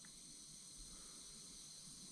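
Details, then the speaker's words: Land Rover Freelander 2.0 diesel, engine off, cooling system pressure-tested at 0.5 bar: faint steady high hiss as air escapes past the expansion tank cap, which no longer holds pressure (should hold 1.2 bar); cap needs replacing. "The cap is no longer working. You can see it, you can hear it hissing."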